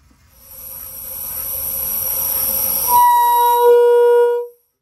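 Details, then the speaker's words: Peterbilt truck being converted into an RV, air horns at full tilt: air hiss builds, then a thin, high single-note blast with little body. Air is coming out, but the horn is weak and not all trumpets are sounding. "right what the heck is that actually got air coming out it's definitely not all"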